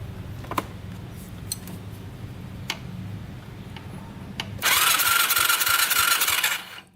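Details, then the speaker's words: 2006 Yamaha YFZ450 quad: a few clicks, then about two seconds of fast, even starter whirring with no firing; a spark check shows no spark, so the CR8E plug is to be changed. "Doesn't look like we're getting much. No spark. Alright, we're not getting any spark."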